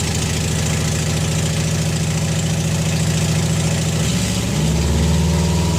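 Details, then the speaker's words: Junkyard engine in a Subaru WRX, first startup right after installation. Steady, even idle with a deep smooth pulse and a slight rise near the end, with no knocks or misses. The engine idles healthily. "Sounds good though, Ev. Yeah. It lives."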